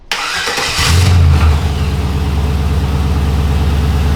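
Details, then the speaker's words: 1982 Corvette C3 barn find with LS engine swap, after replacing rocker arms that had too much play: starts and settles into a steady, even idle with no ticking; earlier ticking could have been from the rockers or an exhaust leak. "Whoa, dude. This sounds so much quieter now. [Music] I don't hear the ticking noise anymore."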